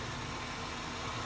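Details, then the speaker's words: Used Honda Jazz with full bodykit: quiet, even idle with a soft steady hum and no knocks or misses; engine very smooth and responsive with no smoke, though front suspension on one side makes some noise. "oh kerasa mesinnya alus banget ngetiknya masih sangat responsip dia"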